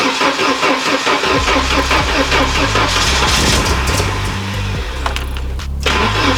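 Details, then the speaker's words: Classic car, run to check for leaks and get coolant through: it cranks, catches and settles into an uneven, lumpy, wavering idle; idling a bit rough, with the engine mounts worn out and the engine jumping. "idling a bit rough. The engine mount's dead. All the engine mounts gone, guys. The engine idling a little rough."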